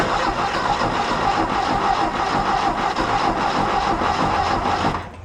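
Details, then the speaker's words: 1969 VW Fastback sitting 19 years, gas squirted into intake: starter churns steadily about five seconds, never catches, then stops; no-start, starter rested to avoid overheating. "you know how bad I want to keep going but I know I'm going to cook the starter we'll let it cool down we'll do it again"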